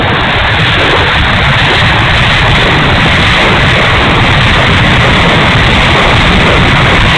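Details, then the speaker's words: E-flite A-10 Thunderbolt II twin 64mm ducted fan, bad motor, run gently: loud steady rushing roar with ragged uneven edge instead of a clean whine; motor runs rough, cause unclear. "Okay, noisy engine time. I'll go easy with it."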